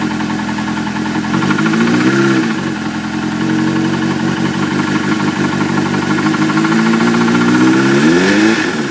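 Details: Suzuki GSX-R600 engine blipping: a fast, irregular, intermittent knock riding over the exhaust note, sharper as revs rise. A spun bearing is suspected, not confirmed.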